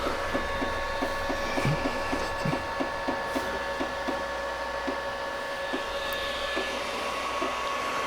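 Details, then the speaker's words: Creality Ender 5 Pro 3D printer at the start of a print: uneven ticking at about three to four per second over the motor hum. The extruder is clicking and the filament is not feeding through. "so it looks like i have an issue here with the filament it's not going through properly for some reason"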